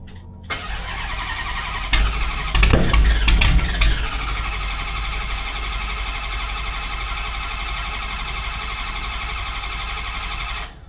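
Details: Camcat that sat 6–8 months over winter, with a new battery fitted: several seconds of slow, even cranking, then it catches and settles to a steady idle; extended cranking before start.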